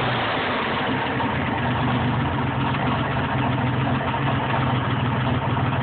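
Steady idle with a light, even tick riding over the low hum; could be valve, rod or exhaust, can't pin it down. Cause suspected, not confirmed.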